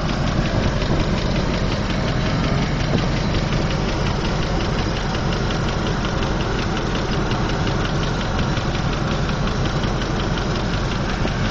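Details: 2003 Land Rover Discovery II petrol V8 idling with a steady, fast light ticking over the low rumble; after adding Lucas Heavy Duty Oil Stabilizer it runs smoother and the ticking has calmed somewhat but persists at rest.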